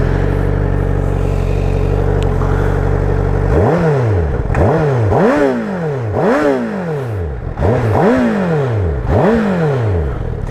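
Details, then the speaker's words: 2017 Honda CBR1000RR with stock exhaust, in neutral: steady idle then six quick revs, pitch sweeping up and dropping back cleanly; healthy normal revving, though the rider feels the stock exhaust sounds bad. "good as this bike looks, man, sounds like shit. Sounds like shit."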